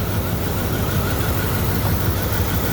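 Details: 1998 Dodge Durango single-cam V8 idling just after timing chain replacement for a P0300 multi-cylinder misfire; freshly started, coolant cap off. The idle is smooth and steady with an even low drone and no misfire or chain rattle.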